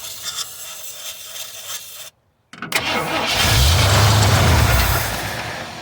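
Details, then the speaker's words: 1973 Ford F-250 not run in 18 years, second try with fuel in the carburetor: slow uneven cranking, a pause, then the engine catches and settles into a deep rumbling run. "oh man that's what i'm talking about it's the sheet embarked off wow"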